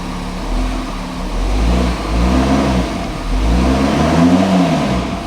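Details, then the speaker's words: Half-repaired VW Touareg just after first start with sump refitted, no coolant or power steering fluid: revs blipped climb slowly and fall back, lazy response blamed on an intercooler pipe issue letting unmetered air in; sluggish throttle response. "I don't want to rev, well, it's revving, but it's a bit lazy, but we've got an intercooler pipe on, haven't we, so we've got to bear that in mind."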